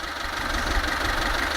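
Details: 2000 Kia Pride (Festiva-type engine), fully hot with fan cycling, timing checked: small four-cylinder idles smooth and even, no misses or knocks, steady hum with fan hiss while owner listens for a vacuum leak; normal idle.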